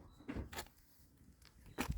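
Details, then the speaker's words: Chevrolet Corsa Classic front-end noise, with suspected sway-bar link bushings ruled out: rocking the front by hand gives dull plastic knocks because the bumper is loose on worn clips and a slack screw. Loose front bumper. "é o para-choque que tá passou tu tem que dar uma coxada nele nele nele ali com certeza as bruxinha tá tudo solta"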